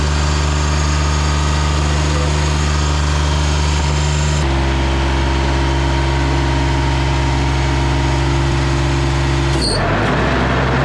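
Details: Ransomes Jaguar 4000 diesel commercial mower, 1980s-90s, sat 20-25 years in junkyard, hydraulics rebuilt with new O-rings and seals: strong steady diesel drone at even pitch, settling to a lower steady note midway; smooth, no knocks.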